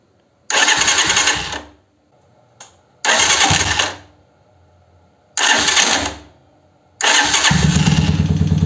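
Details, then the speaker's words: 125Z motorcycle starting: three harsh cranking bursts with rough cracking whirr before it catches and idles, slow and sometimes failing to start; Bendix-like noise, suspected starter motor/Bendix, starter and cover to be removed for inspection. "Bueno, como verán, de repente se alcanza a escuchar el tronido que hace."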